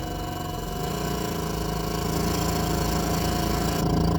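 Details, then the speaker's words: Nissan forklift, K21 engine, that starts then dies with no acceleration and no codes: with the mass airflow/intake air temperature sensor unplugged it keeps running and idles slightly higher. Faulty MAF/IAT sensor. "so i'm thinking it's going to be the mass airflow or at least the air intake temperature sensor but they're in the same package"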